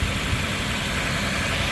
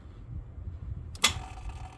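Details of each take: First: 2004 Lexus GX470 V8, after starter replacement and ground cable work: smooth, even idle with a steady low rumble, no ticking or stumbling; it now fires right away with no hesitation. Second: 2004 Lexus GX470 delayed start: sharp irregular starter solenoid clicks without cranking, then starter finally engages; power reaches solenoid, so starter contacts or starter itself suspected; starter replaced.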